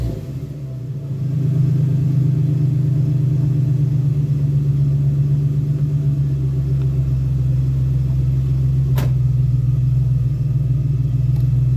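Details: 2001 Ford Ranger XLT 4.0 V6 that is hard to start only in the morning: it catches and settles within seconds into a steady, even low idle with no misses or knocks. It runs normally once started.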